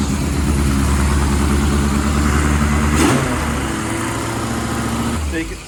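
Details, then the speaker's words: 1980 Kawasaki KZ1000G (Z1 Classic) after restoration: engine revved high holds its speed for a few seconds, then sags only part way to about 2000 rpm; hanging idle, hunting, cause unknown. "can see how it goes way up it stays up and then it will come back down to like 2 000. that's the kind of that hunting behavior"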